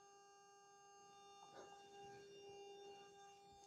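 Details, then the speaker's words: New Bee wireless guitar system plugged into a bass: a steady high whine with a thin overtone above the room hiss, pitch and level wandering slightly; owner suspects interference or a loose port, changing with the transmitter's angle. "Uh-oh, what's that? I'm having a bit of a whine."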